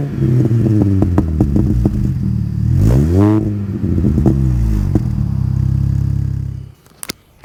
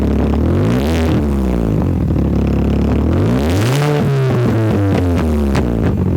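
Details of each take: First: Mini Cooper S R53 just refitted with its factory exhaust after removing a Borla cat-back: deep, even idle climbing smoothly with a quick rev and settling back; quiet, healthy stock exhaust note with mild little burbles. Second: Mini Cooper S R53 with the Borla cat-back removed, running open after the resonators: very loud, raw blat as it revs up and settles, pitch following the throttle.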